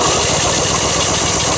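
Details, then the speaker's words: 1973 Belarus crawler tractor, 47 years old, cranked with fuel off during spark check: fast, steady cranking churn that never fires; no spark. "No. We've got no spark. Okay. Alright, turn everything off."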